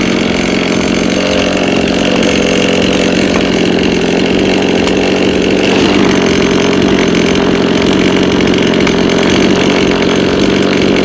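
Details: Lawn mower that is hard to start and runs unevenly: small two-stroke idling with an uneven, hunting beat instead of a clean steady buzz. Rough idle, cause not yet found.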